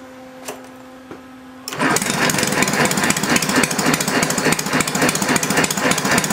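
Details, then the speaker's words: Homemade inline 4-cylinder Briggs engine on its first run: after a quiet hum it catches and chugs at a steady, even three to four beats per second, running smoothly. "wow not bad H buddy not bad at all chugging right along"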